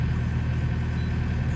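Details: Small digger diesel after fuel system bled with inline lift pump, warming up for five minutes before a 250-hour service: steady low diesel chug at idle, even with no knocking or hunting; idling healthily.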